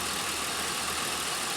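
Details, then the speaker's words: 2001 Pontiac Aztek GT, about 3 months after head gasket engine rebuild, before its first oil change: steady, even idle with no knocks, misses or hunting, soft hiss over it; running smooth and healthy. "man listen to how smooth"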